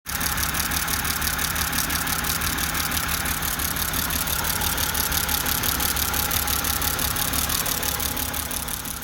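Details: BMW petrol six idling with a lumpy, uneven misfire beat; a failed ignition coil pack was found, looking completely different from the others, with oil on the cylinder; coil packs and spark plugs were replaced.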